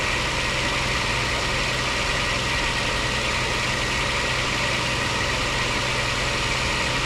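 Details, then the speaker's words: Lexus IS300 2JZ, first run: smooth even idle, steady low hum, no knocks, ticks or misses; only power steering fluid leaking. "Awesome, awesome, awesome. Oh yeah. Only thing leaking is power steering fluid."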